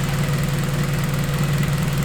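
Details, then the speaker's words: Acura RSX first startup after converting to a return-style fuel system with new fittings and hose: steady, even, smooth low idle with no stumble; about 45 psi fuel pressure, AFR around 14.7, no leaks; normal idle. "Sounds like she's doing alright. Make sure there's no leaks."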